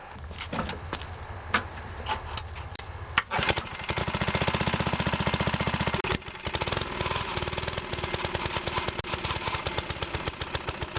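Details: Older Briggs & Stratton 3.5 HP lawnmower engine without primer, just after carburetor and diaphragm reinstalled: a few pulls, then catches and settles into a quick, even beat; normal running.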